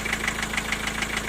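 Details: Diesel at idle: crisp metallic knock about seven per second. It is intermittent: silent after highway driving, back after standing, whether warm or cold. The vacuum unit was replaced and the injectors were ruled out. The owner suspected valve clearance or a piston pin.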